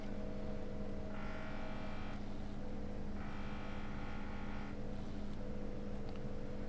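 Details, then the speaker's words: Vacuum pump on an electronics repair bench, after an obstruction was removed: steady low hum with rhythmic pulsing about two to three strokes a second, banging away at proper vacuum; apparently better suction than before. "You can hear the pump when I get the proper vacuum going. Like, you can hear it banging away"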